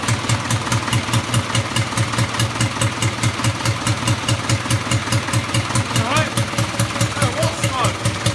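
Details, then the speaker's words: Rebuilt Land Rover Series III diesel, first start after rebuild with adjusted injector pump timing: steady clatter about two beats a second, evenly spaced, no misses, not smoking much; runs and sounds good, normal diesel idle. "well success stage would think it's running good sound sounds good running stop smoking outrageously that's nice"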